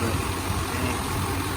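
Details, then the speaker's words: 1995 Chevy K1500 Silverado with newly installed 355 TBI V8, no cam, only three miles on it, hood open: steady, even low rumble with no knocks or ticks, no leaks, running smooth; normal idle. "close enough it ain't cam like i said but it's running quite good i love it nothing leaks it's all running good smooth"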